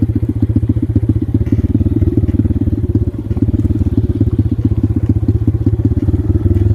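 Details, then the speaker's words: X-Pro dirt bike single-cylinder on ethanol-free gasoline, good throttle response; choppy, stuttering uneven pulses; carburetor constantly overflowing so fuel shutoff must be cycled; rough running, carb fuelling trouble suspected. "Funny, when the carb starts acting like that, I gotta shut it off."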